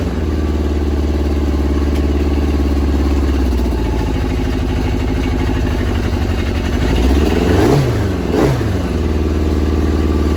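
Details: Yamaha RX1 1000cc four-stroke snowmobile engine, sat 6 years, warming up after ultrasonic carb clean and new fuel bungs: settles into even idle, two quick blips rise and fall cleanly, no stumbling or clatter; normal warm-up running.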